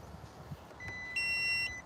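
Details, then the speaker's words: Audi with ignition switched on before starting, after fresh Liqui Moly oil: short high beep then longer two-tone chime; warning chimes from many stored fault codes about to be scanned. "yeah so you hear it crying it's a whole bunch of codes about to pop up so I'm going to scan it and see all of the codes"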